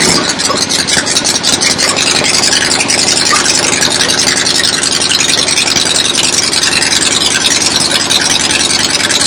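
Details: 1975 Harley XLH Ironhead Sportster V-twin, fresh rebuild, first start outdoors on a temporary lawnmower gas tank: steady lumpy idle, even firing, no knocks or misses; oil return established, oil pump working, normal idle.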